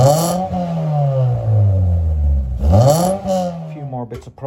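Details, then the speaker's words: 1993 Mitsubishi Lancer MR MIVEC revived after over 15 years sitting, running off a van with no battery fitted: engine picks up cleanly, rising and falling smoothly through a couple of revs with no knocks or misses; runs sweet. "first click of the key don't even have a battery so I have it connected to my van here but as you can hear this running sounds beautiful"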